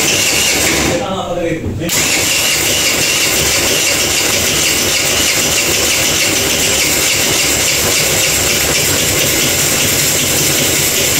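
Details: Kuba Valentino 50cc scooter whose top speed has fallen from 70-80 to 50-60 km/h: it cranks, catches and runs with a harsh, gritty scraping over the beat. Cause: stator rubbing the flywheel.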